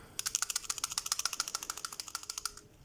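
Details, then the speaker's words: Front strut mount bearing removed during replacement, shaken by hand near the camera mic: quick uneven metallic clicks, three or four a second, loose balls rattling in the worn factory bearing. "уже сами шарики подшипника которые вот он погремушка то есть в целом более менее то есть вот это вот видно что она заводская она воровская которая стоит"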